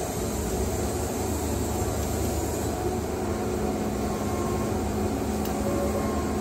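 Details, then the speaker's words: Wood-Mizer Super 70 sawmill after drive pulley change, cutting dry pallet logs: even engine drone bogging down under load with steady blade tone, no surging or squeal; belt tension now holds without slipping. "you hear the motor fogging down that's what you want you don't want it to be slipping"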